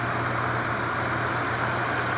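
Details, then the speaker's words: 1994 Dodge Dakota 5.2 V8 after fuel injector replacement, slightly warmed, vacuum line disconnected: even steady idle with no stumble or miss; runs fine. "Alright, she appears to be running just fine even without the vacuum line, sitting here at idle."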